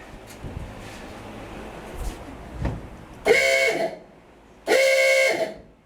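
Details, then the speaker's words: 1949 GMC 100 horn with funnel, replacing a busted-off one: two firm, clear honks with steady even tone, no rasp or crackle; horn works properly. "sounds a whole lot better with that uh with the horn with the funnel on it then the the one that was on there that was busted off"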